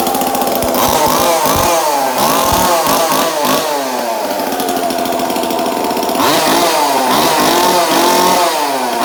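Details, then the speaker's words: 2002 Husqvarna 136 chainsaw just fitted with a new aftermarket carburetor, fuel line, fuel filter and air filter, before any high/low/idle adjustment: screams at a fast, slightly hunting rev. Idle set too high. "So it's obviously revving a little high."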